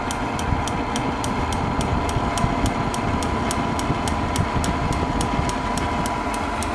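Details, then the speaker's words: Propane shop heater modified with a fan dimmer and propane regulator, running at turned-down gas: steady burner roar with the piezo igniter ticking about three times a second, now clicking continuously while the heater runs normally. "you know it's just warm air you can still hear that clicking from the piezo but that piezo will be on all the time now"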